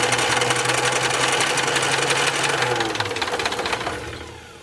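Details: Austin-Healey Sprite barn find, first crank after long storage with carburetor leaking from shrunken gaskets and a suspect fuel pump: uneven firing at a few beats a second that catches, stumbles and dies after about four seconds; rough first start.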